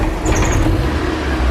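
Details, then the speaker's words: Used car being inspected before purchase, after the oil filler glove test: a deep, even rumble on a light throttle blip with no rattles, clatter or knocks; it runs slightly temperamentally but the engine sounds sound. "Okay, so it's running a little bit temperamentally at the moment, but all in all, I'm okay with this engine. There are no undue noises coming from anywhere."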